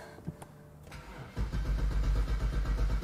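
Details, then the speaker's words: 2010 BMW 535i xDrive wagon (E61), about 137,000 miles, auction non-runner: even free cranking, about four compression pulses a second, sounds healthy and not locked up but never fires; crank, no start. "oh cranks for a lot thanks for a long time so it the motor's not locked up it actually sounds pretty healthy"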